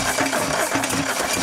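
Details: Toyota 22R engine on a 4x4 restarted after throwing a connecting rod out the side of the block: fast, harsh metallic clattering and hammering with no smooth running, sparks flying off the crankshaft out of the engine; thrown connecting rod.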